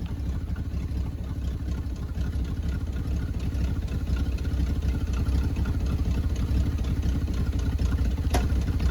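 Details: 1974 Chevy C10, sat about 5 years, just revived on a temporary inline fuel pump fed from a raised tank: low, even rumble holding steady with no stumbles or surging; normal idle.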